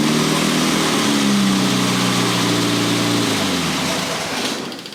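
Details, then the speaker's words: 1962 Austin-Healey Sprite after 10+ years' storage, after teardown fixing a bottom-end knock: revs up cleanly and settles back, smooth even exhaust, no knock or miss; slight smoke, owner suspects weak cylinder 4. "Well, she smokes a little bit. That's probably that cylinder number 4. It's a little weak, but tried to give it the old Italian tune-up, thinking it might fix itself."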